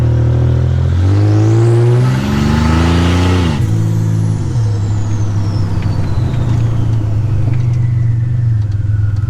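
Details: 1985 Nissan 300ZX Turbo (Z31), which had been misfiring under boost, after new spark plugs and wires and replacing a torn intake charge-pipe hose: loud exhaust pulls cleanly, pitch climbing steadily, no stumble or cut-out, then a shift; healthy acceleration under boost.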